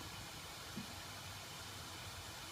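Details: M-Slaz motorcycle parked, engine off: soft even whoosh of the radiator cooling fan under the bike running while the engine is hot; normal.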